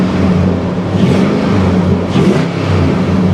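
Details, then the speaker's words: Nissan Armada V8 at a Copart auction, possibly 5.6 liter: deep, smooth rumble rising and falling with two clean throttle blips, no knocks or misses; normal revving. "that sounds really good"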